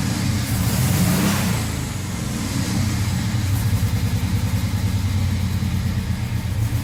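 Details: 1978 Scirocco with swapped 24v 2.8 VR6, first run at partial throttle: revs and falls to idle with raspy chuffing on each firing pulse; suspected exhaust leak, noisy muffler.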